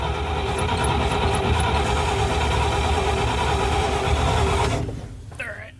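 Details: 1971 Dodge A500 ex-US Air Force dump truck, supposedly a 318 engine, running on fuel poured into the carburetor bowl: a rough, rapid low idle holds about five seconds, then fades and stalls; earlier cranking sounded like advanced timing.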